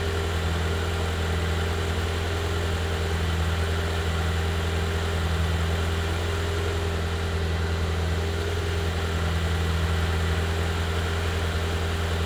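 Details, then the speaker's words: BMW E36 Touring, first start in six months after engine re-gasketing, run with no exhaust fitted: loud, raw, blaring bassy idle with no muffling. It won't rev and leaks coolant and oil. "um that was first start after the re-gasketing of the engine it was first start with no exhaust i thought it's gonna be quieter"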